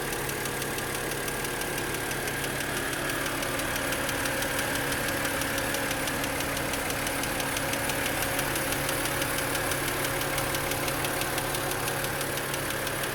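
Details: BMW E90/E92 N52 petrol engine idling with a fast light ticking, about three clicks a second, from the hydraulic lifters; revving at a constant 3,000 rpm for 2 minutes did not fix it.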